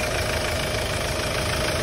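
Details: Hyundai Starex D4CB diesel idling during a check for suspected blow-by: steady, even clatter with no stumble or uneven beat; no smoke from the dipstick tube or breather, so the engine sounds healthy.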